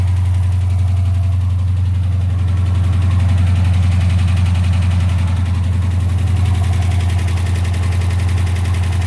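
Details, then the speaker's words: Wrecked Dodge Challenger V-engine first start, no coolant: steady idle with fast, even light tick, three to four per second, quieting as it runs; oil pressure apparently present; suspected lifters ticking. "oh it's running but it's clicking turn it off for a minute huh traveling just crank it up and let it run something i know do well it's quieting it down sounds like sounds like lifters might be ticking that sounds like lifters"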